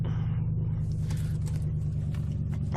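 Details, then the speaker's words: 1997 Ford Taurus SHO 3.4L V8 that had a no-start, just after replacing the crankshaft position sensor with OEM Ford part; low rumble at idle with slight wavering, RPM constantly changing; unsteady idle. "can check out the idle here it's always changing"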